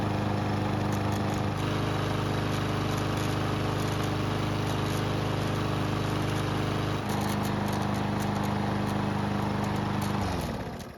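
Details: Barn-stored, neglected lawnmower on non-ethanol 89 octane fuel with stabilizer, hot after several minutes: smooth, even drone for ten seconds with no misses, then clean wind-down at shutoff; healthy after repair.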